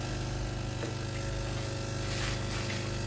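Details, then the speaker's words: Philips GC9315 steam iron after replacing the faulty water pump and electrovalve: strong, even rapid buzzing from the small vibratory pump for about three seconds, then cutting off; pump filling the boiler normally. "ครับด้านหลังนะครับจะได้ยินเสียงปั๊มทำงานนะครับสักพักหนึงนะ"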